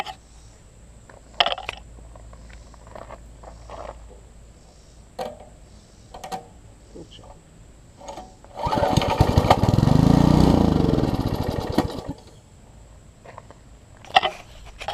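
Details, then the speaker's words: Troy-Bilt Tuffy rear-tine tiller, reassembled from pieces with a new carburetor diaphragm replacing a dry-rotted one: small engine barks to life for about three seconds and dies; owner fears it ran only on sprayed carb cleaner, likely fuel-starved. "it started on its own that is an encouraging sign hopefully it will continue to start on its own here I'm hoping it stopped running off the carb cleaner only that I sprayed in there that is my fear"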